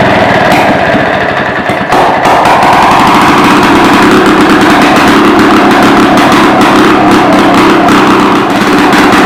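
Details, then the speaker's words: 1940s (believed 1946) two-stroke rototiller, out of gear, running again after years stored in a barn: harsh, loud crackle at one fixed speed, about four beats a second, as the throttle cable is broken; kill switch dead, very loud muffler. "throttle cables broke can't throttle it up or down kill switch doesn't work choke her out she's just as good muffler yeah she's loud I mean loud my ears are still ringing"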